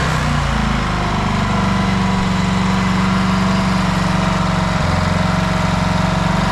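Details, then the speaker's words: Outboard after new fuel pump (old one suspected bad diaphragm) and another carb clean, started with a little choke: even, steady single-cylinder putter, low drone, no misses; running properly. "all right with that new fuel pump and another carb clean I finally got it dialed in fired up for you guys give it a little choke"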